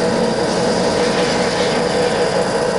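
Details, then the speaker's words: Bronx (UK) 31P86 2500mm x 19mm mechanical plate rolls, main rollers running with inspection panel off: loud steady gear-train drone with oil splashing, no knocking, grinding or whine; gears run really nicely. "yeah and so that's the main rollers picking over the year you can all hear the oil splashing around but all the gears run really nicely"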